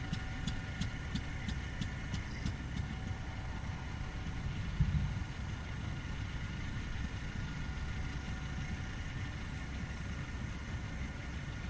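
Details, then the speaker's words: Fairbanks 208 single-cylinder oil-well engine just started by spinning the flywheel: slow labouring thumping under a low throb, uneven and barely hanging on; suspected not enough gas coming off the well yet, probably fed gasoline. "to keep her going. Having trouble get Oh, we're probably not good enough gas coming off of that well yet."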